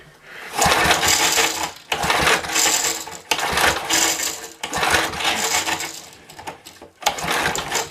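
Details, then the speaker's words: Small pull-start engine: several second-long pull-cord cranking bursts, never catching; spark tester shows no spark, owner may try filing the points. "no i don't see nothing so we're not good spark and now we got our pull starts acting up"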